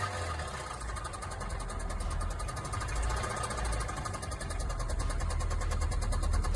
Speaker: Customer states my car just started making this clicking noise and won't accelerate.